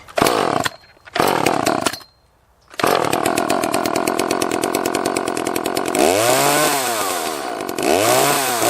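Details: Echo CS-330T top-handle chainsaw: sputters, catches in short bursts with dead gaps, revs surge and sag, starving for fuel and dying.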